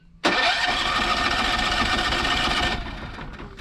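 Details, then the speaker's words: Long-sitting generator on second automatic start attempt with auto choke, harsh cranking burst about two and a half seconds that never fires; owner blames infrequent running, it started on a later try. "okay ready for the second time it didn't even try to fire come on"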